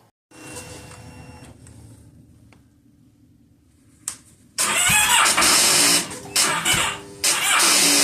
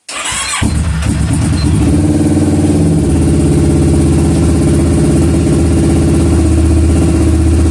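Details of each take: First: 2009 Kawasaki Versys on a chilly morning: short, labored cranking bursts that never catch; the old, weak battery reads about 12.68 V but drops to roughly 7 V when starting. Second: 2009 Kawasaki Versys after no-start traced to an old weak battery: starter spins briefly, engine fires at once and holds a smooth, steady idle with a regular beat; starts and runs fine.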